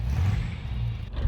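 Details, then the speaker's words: 1971 Buick Skylark, Buick 350 V8 with automatic, on its first pull with a new exhaust: a deep throaty rumble, full and low, with no rattles or blowing. Sounds much better than before though still not great, a normal V8 exhaust note under acceleration. "so as I'm sure you can hear it sounds a lot better but it's not great by any means just to crap the old 350 Buick"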